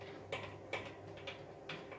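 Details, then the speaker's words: EliteWheels Drive 50D carbon wheel, ceramic-bearing hub, freewheeling in a quiet room after a ride: spins freely but a sharp clunk about every 0.4 s; bearing seems loose in the hub, owner suspects it's shot. "it almost feels like the bearing is just loose and kind of clunking around inside the hub"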